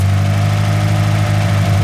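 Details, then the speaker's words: Car after a field-fixed fuel pressure regulator, idle won't drop below 1,300–1,500 rpm: steady low drone with faint unevenness; spray test points to a vacuum leak at the back corner of the intake manifold gasket, owner suspects the gasket; high idle. "I can't get the idle to go under 1,500 or so 1,300 sometimes and I don't like it it doesn't sound right when it's idling it also sounds like there might be a vacuum leak somewhere"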